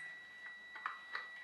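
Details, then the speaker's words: Brushed RC ESC powered by two CR2032 3V coin cells in series (6V): receiver operates but steady high-pitched whine with weak ticks, motor never spins; cells lack current to drive servo and motor. "it's sort of working in that's the receiver is operating but there's not enough power here to drive the motors in fact it's struggling and you can hear that yes see that high-pitched whine that there's not enough power there to operate the servo and not enough power to drive the motor"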